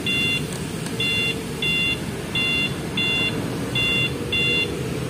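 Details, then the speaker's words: Honda Vario 125 LED 2017 with an MP one-way alarm, turn-signal beeper mode switched on by pressing the remote three times: short high double-tone beeps about every 0.7 seconds, evenly paced over a quiet idle, like a truck's indicator beeper. "Jadi nyalain lampu seinnya kayak truk ada bunyinya"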